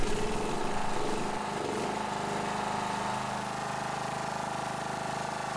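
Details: John Deere 185 Hydro riding mower, Kawasaki FC540V 4-stroke engine, unused about two years, after carb cleaning, oil, fuel filter and plug change, Sea Foam in fuel: first run after priming the carb settles into a steady even beat, no misses or knocks; running cleanly.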